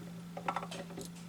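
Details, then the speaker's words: Restored 1970-71 Dual 1209 turntable, once mostly locked up, playing at 33 rpm: as the needle hits the run-out groove, a steady motor hum with light clicks and clunks as the arm returns. Normal auto-return cycle. "it does its return thing."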